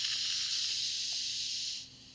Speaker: And you'll hear it slowly start to stop, and then our float valve just dropped down, which means it's no longer pressurized, so we can open the lid and see how our eggs are.